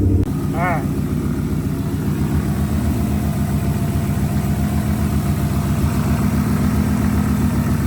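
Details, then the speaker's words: Idle after fixing recurring P0352 code: loose pin in coil pack wiring, Molex plug pin cut, recrimped and re-locked; engine now idles clean, steady even low rumble with smooth regular firing, no misses or stumbles. "So that's, I would say, mission accomplished. Idle sounds clean."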